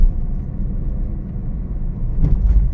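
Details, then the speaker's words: Honda Mobilio on asphalt, crossing a bridge joint. A steady road rumble with one dull thump is heard, with no rattling or clunking. The suspension is quiet. "Sudah gak ada suara gembelatak kita cari jalan yang keriting lagi nih"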